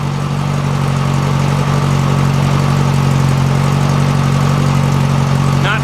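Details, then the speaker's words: Valve train of a 1956 VW Beetle engine at a steady idle after all valves were readjusted to 0.006 in. Before, it had a rattle; now it is much quieter, with only a light, fast sewing-machine tick. Healthy idle. "well let's start it up pretty easy and it's a lot quieter than it was a lot quieter still sounds like a sewing machine but no more of that rattle rattle rattle rattle"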